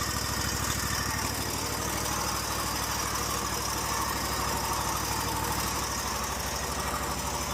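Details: Stihl lawn mower engine after replacing blown, loose intake manifold gaskets: small single-cylinder engine runs at steady speed with an even, fast, unbroken beat and no misses or surging; runs cleanly after the repair.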